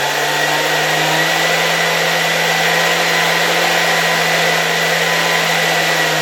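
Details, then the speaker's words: Soviet "Rakieta" 7M2 vacuum cleaner from 1981, MD-010 motor after cleaning: smooth, even hum with steady high whine, no knocks; faint noise possibly from bearings or a spring; runs smoothly. "I have the impression that this motor really runs quite smoothly. I don't know if I can hear the bearings here, or is it that spring that makes noise? But generally it works quite smoothly."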